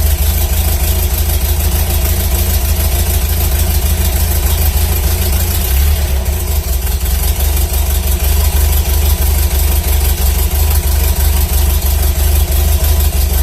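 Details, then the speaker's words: 1978 Datsun 620 with an L20B four-cylinder and a newly installed Hot-Spark HS-HIT4 distributor, timing estimated: a steady, even idle of about 720–730 rpm with a brief blip midway and smooth firing; normal idle. "i did plug that in to get the kind of the rpm i got about a 720 730 rpm idle um but i'll kind of show you a little bit and fire it up and kind of let you all hear it run at least"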